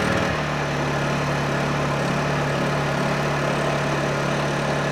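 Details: Honda EU2000i generator after carburetor cleaning that fixed it only running with the choke on, warming up before powering an RV air conditioner: an even, steady hum at constant speed with no surging; it runs smoothly.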